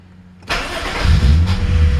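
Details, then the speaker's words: 1991 Acura Legend with electrical problems (drained battery, dead radio, intermittent fans, owner suspected a blown fuse): brief crank, fires at once and settles to a smooth low idle, dash check normal; normal start. "starts right up everything's fine goes through the check everything's fine like that"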